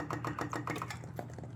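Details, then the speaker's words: Yamaha Virago 535 with key on after carb bowls removed and original jets refitted: fast light ticking chatters steadily then slows to scattered clicks; the fuel pump keeps running while gas leaks out of the intake holes leading to the carburetors. "Got it all back together, turned the key on. It's still leaking gas out of the intake."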